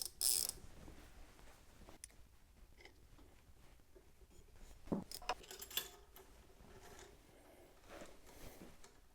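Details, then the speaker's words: Tacx Neo smart trainer after about 10 months of use, after reseating the freewheel plate: light, uneven ratchet ticks as the flywheel coasts, no grinding; healthy freewheel, grinding problem solved. "That was all fine. And then back on the bike, no grinding noise."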